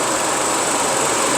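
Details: Engine idling after a universal fan thermostat was installed, coolant at 93°C with the switch-on set around 90°C. An even, steady rushing whoosh over a quiet idle with no rattle or scrape. Normal electric cooling fan running.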